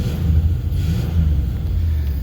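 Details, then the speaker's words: Truck whose fuel smelled like water: deep, uneven, lumpy, loping idle. Running differently, with at least one cylinder apparently not firing; misfire cause suspected, not confirmed. "so we have it running a little different yeah it's got at least one down oh yeah"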